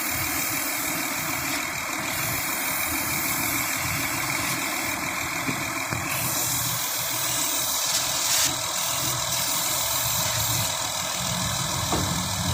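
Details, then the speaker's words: Honda Pilot, suspected intake vacuum leak, combustible sprayed around intake and gaskets to find a change in running: steady hiss over unsteady, lumpy idle; intake vacuum leak. "So I don't know if the camera picked it up, but what you're doing is you're spraying all around the intake. Now you also have gaskets there, and you're looking for anywhere that it gets sucked in at, and you're looking for any change in how the engine runs."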